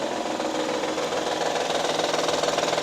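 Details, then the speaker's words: 2012 Honda Pilot 3.5 L V6 at about 186,300 miles, customer complaint of clicking while running: quick light ticking rattle, three to four per second, at steady idle; persists with the belt slipping, so suspected internal, not confirmed. "I'm not really sure what the noise is. It sounds internal."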